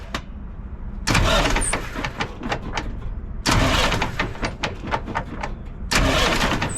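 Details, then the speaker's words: Semi truck with a Cat engine and an intermittent no-start, starter bumped directly with jumper wires, out of gear: three short, quick, even cranking bursts without clicking or grinding; starter ruled out as the cause. "as you can tell right there the starter is not the issue"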